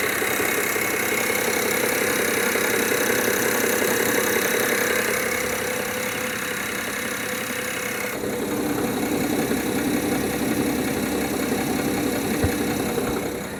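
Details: 2007 BMW 530i E61 with the N53 petrol straight-six and 6-speed manual, at idle. A faint regular bottom-end knock is heard after light revs and goes away when the clutch is pressed, attributed to a worn dual-mass flywheel. Knock at idle.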